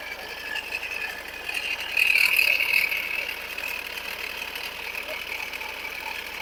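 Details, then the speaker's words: 2017 Ford Edge diesel with a customer complaint of a sudden noise: a harsh, gritty crackling from the alternator side, with metal pieces visible inside; a failing alternator bearing, and the alternator was replaced. "I can hear train noise from alternator side. I'll switch off the car."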